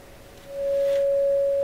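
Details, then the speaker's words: Canadian General Electric KL-96 radio during repair: a clean, steady test tone plays even with no hum or distortion, confirming the audio stage works from the phono input onward. "So there we go. So that's the audio portion of the radio is definitely working just fine from the phono onward, just to convince you here."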